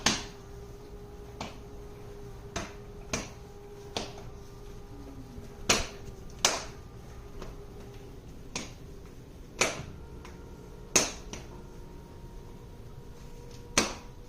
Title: petkit litter box making noise